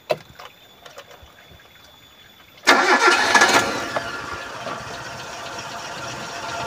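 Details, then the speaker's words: 2001 Suzuki Carry Futura Realvan GRV, carbureted, started for an engine check. Short crank, then a quiet, even idle with no metallic piston or ring knock. Oil is dark but not mixed with coolant; the engine sounds normal and smooth. "suara mesin langsam saya rasa oke tidak ada ciri-ciri metal kena seher at ring seher suaranya Masih normal masih halus"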